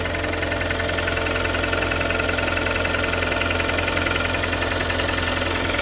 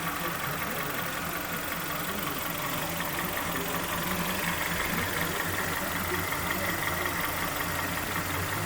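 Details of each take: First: Kia Sportage 3 2.0 G4KD, under 105,000 km, cold start before overhaul: busy, even metallic tapping about three to four knocks a second over the idle; engine knock. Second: Kia Sportage 3 2.0 G4KD, first start after an overhaul that fixed its factory flaws, heard from underneath while warming up. Everything dry and quiet: a steady, even idle with no knock or tick. Oil pressure read about 1.7–1.8 afterwards.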